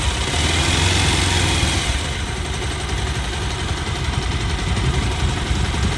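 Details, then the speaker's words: Bajaj Pulsar 220 after replacing the timing chain tensioner: smooth, steady low idle with no tick-tick from the timing chain or top end; noise fixed. "अब गाड़ी चालू करके देख लेते हैं आवाज सुनिए आप कोई आवाज नहीं ए रही कितनी कुछ आवाज नहीं ए रही भाई"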